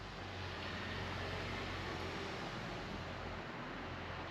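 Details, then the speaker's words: V8 with new hydraulic roller cam and Comp Cams hydraulic roller lifters (bought August 2021), after break-in; fast light ticking about four per second over engine note, adjustment didn't fix it, switching to solid lifters planned; hydraulic roller lifter noise. "so yes the comps cam hydraulic roller lifters are making noise and I got him back in August of 2021"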